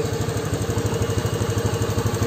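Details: Honda Beat FI scooter after a cheap hose-spacer fix to the throttle position sensor's top stop, top-end power restored: steady single-cylinder putter at about nine even pulses a second, no misses or knocks, a healthy smooth idle.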